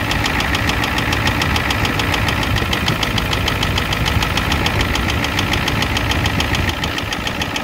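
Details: 1988 Ford F250 7.3L IDI diesel at idle: sharp, steady ticking knock about three times a second over a rough idle; high-pressure fuel line leak, white/grey exhaust smoke, smoke from the oil dipstick, oil in the add zone; cause unconfirmed.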